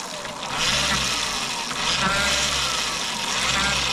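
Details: Bafang BBSHD mid-drive after over-applied moly grease was removed from the nylon gear roller clutch, which was suspected of slipping. With the rear wheel off the ground, a smooth, even, high-pitched whir rises and holds with no grinding or clicking. The motor runs cleanly.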